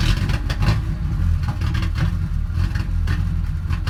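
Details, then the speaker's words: 1998 Ford Ranger 4-cylinder with two spark plugs per cylinder, idling following a fuel filter change. Low, lumpy idle with uneven beats and the odd stumble; rough running, owner suspects a misfire but cause undiagnosed. "Sounds like a misfire, but I'm not sure. Got 2 plugs per cylinder. I don't know how it can misfire so much, but let me know what you think."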